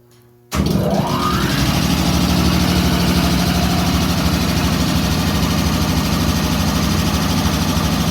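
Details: WW2 Ingersoll Rand ship service air compressor, built January 1943, in the B4 engine room of USS Stewart DE-238: starts and runs with steady, even thumping about three beats a second and low hum; normal running.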